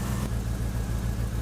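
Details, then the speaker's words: 1949 Ford F1 with LS swap, first run after sitting over two years, no exhaust fitted yet: deep idle with an uneven, lumpy beat and stumbling pulses; suspected misfire, but no codes or pending codes, cause unknown. "Holy crap, we got no code. D says that can't be right. It sounds like crap."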